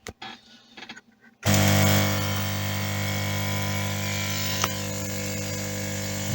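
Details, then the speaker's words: 2009 Lukey compressor-type soldering/hot-air station after soft packaging padding was added to stop loud humming: after switch-on it settles into a steady, even low hum with no case rattle, just the pistons running. "Ну, в принципе, ээ, ну, кто в курсе, компрессорные станции, они вот так где-то, ну, немножко тише будет, закрыты будет корпус. А так примерно так же они и работают. То есть это уже звук не корпуса, а самих вот этих [музыка] поршней."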